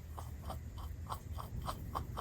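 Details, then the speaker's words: Late-1940s Delta Rockwell 1460 wood lathe, bearing removed and spun by hand: dry, grumbly rasp pulsing about three times a second. The ball bearings are a little rough though maybe still usable, and replacements were ordered. "it's not too bad but it's uh they have they're a little bit grumbly you hear that"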